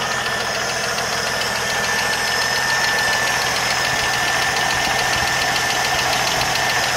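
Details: 1980 Jeep CJ7 at idle: a light, rapid ticking of about three per second over a steady idle; a top-end ticking noise whose cause is not yet pinned down.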